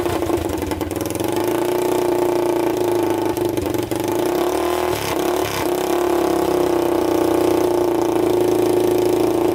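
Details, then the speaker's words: 1999 Honda 400EX quad, freshly rebuilt engine with new piston, first start with airbox on and no muffler. Loud, steady single-cylinder bark that dips with throttle blips and settles cleanly, no smoke seen. Normal running. "it seems to run really good i didn't see smoke coming out of"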